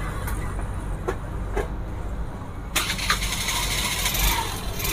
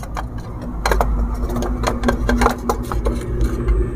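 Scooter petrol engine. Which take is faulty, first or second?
second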